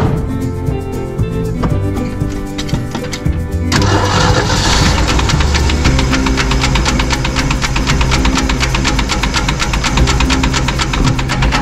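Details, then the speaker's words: 1966 Ford army truck after carb change: engine catches, then quick metallic knock about four times a second over rough running, music underneath; owner suspects carb revving damage, hopes a pushrod under the intake manifold. "I hope I hope that it just been a push rod which are under the intake manifold that happens commonly on these"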